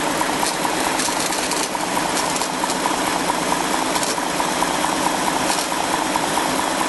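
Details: 2004 BMW 545i automatic with the N62 V8 at idle: even idle with a faint fast chirping tick about twice a second; owner suspects a bad bearing, source unclear.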